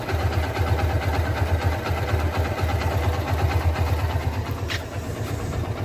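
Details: Engine idling after the belt tensioner was replaced: a steady, even low pulse with no chirp, squeal or rattle from the belt drive. The earlier odd noise is gone; normal idle.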